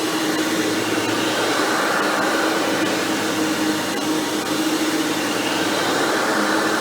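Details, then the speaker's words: Hoover Elite vacuum after motor rebuild with replacement fan swapped in for the old 7-blade fan: steady, even high-pitched motor roar, no grinding or scraping, runs quieter and smoother; normal run. "i will say the replacement fan just does make the motors run a lot quieter than that 7 blade"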